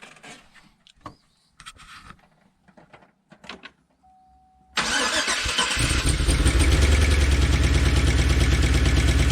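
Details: 2013 Chevy Tahoe ex-police V8 with code P3401 and recently replaced heads, started with the valve covers off: after handling noise it settles into a loud idle with an uneven missing beat; owner suspected DOD lifters, cause unconfirmed; engine misfire at idle.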